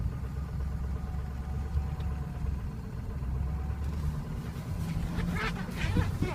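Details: 2003 Ford Excursion 6.0L Powerstroke diesel at warm idle: low, uneven chugging that lopes and dips as if about to stall. Worsens as it warms, stumbles or stalls coasting or standing; starts well cold; cause unknown.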